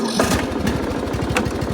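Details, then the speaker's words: John Deere L100 17 hp riding mower, previously non-running with seized parts, now freed up: steady even thumping at fast idle with no misses or knocks; normal running, steering still tight. "oh look how nice just like new now other than the steering the steering is still a little tight"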